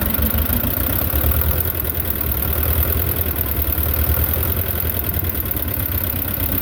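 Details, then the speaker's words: Belarus 250 tractor, two-cylinder air-cooled diesel that sat for years with a no-fuel problem, at fixed throttle after reassembly: low clatter slowly rising and sagging. Owner suspects lift pump trouble; surging from fuel starvation. "yeah I think we've got pump issues I haven't looked up to see if I know you could buy this pump the lift pump portion separate"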